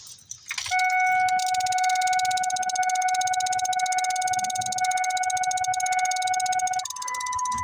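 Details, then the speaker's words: 1999 Ford F250 2WD, 7.3L Powerstroke, six-speed, 308,000 miles, crank-no-start: key on, fast steady ticking about four per second under dash chime from relay; relay, suspected to be the glow plug relay, keeps cycling even after replacement, no wait-to-start light. "got everything took apart so I got the key in and this is the relay that's clicking inside it's here right underneath the"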